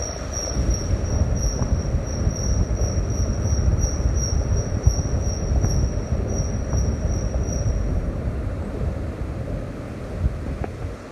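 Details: Thin, steady high-pitched squeal sits over low road rumble for several seconds, then stops; the Flex is squealing, source undetermined.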